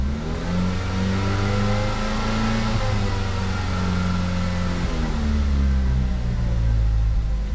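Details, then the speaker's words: 2009 Ford Fusion 2.3L, barely runs: uneven, lumpy note held on throttle, revs sagging and surging, won't idle, threatens to stall, stinky exhaust; misfire, MAP code P0106 and lean O2 code P2195, later traced to intake manifold vacuum leak. "exhaust is very stinky so it'll run or come out of it at higher RPM that it don't idle"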